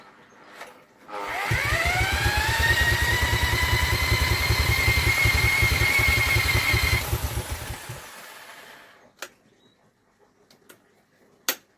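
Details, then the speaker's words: Vintage Douglas engine, 40 years under a hedge, carb jets cleaned, cranked with an electric drill: rapid, steady churn with weak, uneven catches, then dies; suspected flooding. "she is definitely trying her best to do something for us isn't it I have a sneaky feeling it's flooding though sneaky feeling it's flooding"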